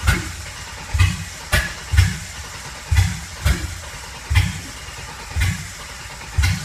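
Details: 2008 Silverado V6 Vortec swapped into a 1987 4Runner, MegaSquirt MS2 with logic spark outputs to a coilpack and a 60-2 reluctor: cranks without catching, with heavy thumps and sharp pops; misfires and backfires while cranking, cause undetermined.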